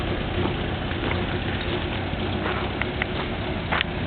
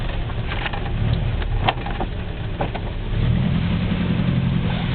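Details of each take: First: 1960 Citroën ID19 idling evenly while the suspension is lowered and raised; light quick ticking from its single-piston hydraulic pump, slower than a seven-piston unit: normal hydropneumatic suspension pump operation. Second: 1960 Citroën ID19 driven around the block: low engine and road drone with sharp, irregular clunks from a worn ball joint due for replacement.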